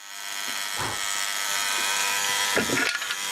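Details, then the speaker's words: Osaki TY 11 time switch motor running: constant coarse buzz, unchanging pitch, some handling knocks; very noisy motor, cause unknown, magnet solenoid brake noted. "what would be uh so damn noisy that's weird there's supposed to be a break on that number it's a magnet the solenoid that stops that statement from going that's a bloody noisy motor"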